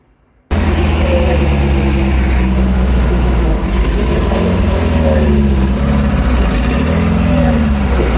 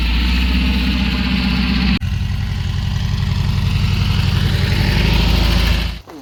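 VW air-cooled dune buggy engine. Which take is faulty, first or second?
second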